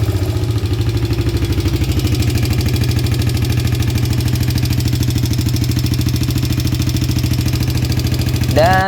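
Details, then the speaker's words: Suzuki Karisma 125 with a Yamaha R15 V3 engine swap, before repair: idle carries a fast, even light ticking over a rough sewing-machine rattle; worn, loose rocker arm bearing (a part found nearly empty) with excess valve clearance. "kutukan motor ini adalah suara mesinnya kasar sebelum diganti motor ini suaranya kasar udah diganti mesinnya masih kasar lagi"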